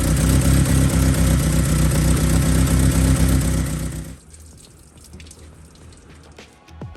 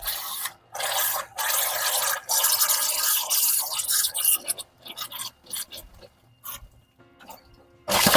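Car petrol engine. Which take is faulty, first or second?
second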